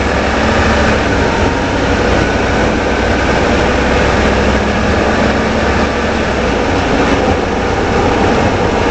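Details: 2013 Ford F-150 4x4 Lariat: constant rough grinding rumble from the front left drive axle that fades after a short while; suspected IWE (integrated wheel end), passenger IWE later repaired, earlier mechanic heard no fault.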